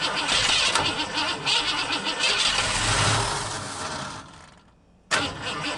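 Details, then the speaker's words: 1950 Ford F1 truck sitting many years in a barn, first start attempts with carb cleaner sprayed in; engine catches and revs roughly a few seconds, then dies and cranks again; fires but won't keep running. "see the popping bank hey buddies hands are clear starter have a little minute or so break but that's pretty good I think this thing is gonna come back pretty easy"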